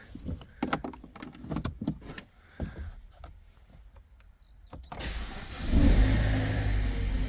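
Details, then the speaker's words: BMW 1 Series after valve stem seal replacement, first cold start with a possibly weak battery: clicks, a short crank, a quick flare, then a steady idle with no knock. Later driven 700 m with no errors, knock or noise. "I think it's fixed. We are driving the 1 series. We've done 700 meters. Everything is reset. No errors, no knock, no sound,"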